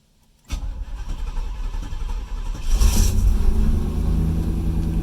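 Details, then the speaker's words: Third-gen Chevrolet Camaro with TBI fuel injection, started with no throttle: the starter churns about two seconds before catching into a rising idle. The start is sluggish; the fuel pump is suspected weak, unconfirmed. The fuel gauge reads low, possibly nearly out of fuel. "now that was a sluggish start for a tbi car these cars are known for fuel pump issues so the fuel pump may be getting weak"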